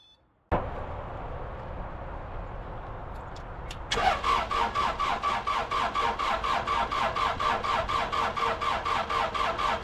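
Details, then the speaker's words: Case 1835C diesel after injection pump install, fuel system air being purged, fuel valve just opened, battery getting weak: steady starter cranking about two turns a second, even compression, no firing; crank no start, cause not confirmed. "Thinking about it. Battery's getting a little weak. Oh, starting to get some fuel."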